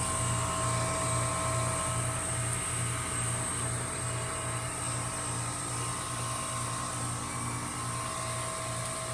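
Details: Normal running in HEAT mode from 2008 Goodman heat pumps and a 2015 Lennox Merit Series heat pump: steady compressor hum with a soft twice-per-second pulse, constant fan tone, no defrost whoosh.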